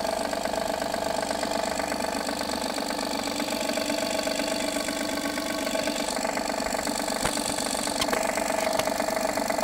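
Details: Honda Pilot III (2016) J30A9 V6, cold start: strong, rapid, fairly even tapping about four times a second that disappears after 2–3 minutes and returns after 3–4 hours parked; caused by failed timing belt tensioner, later replaced.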